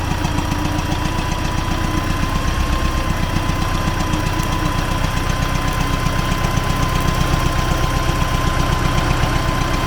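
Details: T-40AM tractor diesel in frosty weather (about -14°C), driving through a ditch to test the differential lock: steady run with a sharp knock about two and a half times a second under the engine note; source not pinned down.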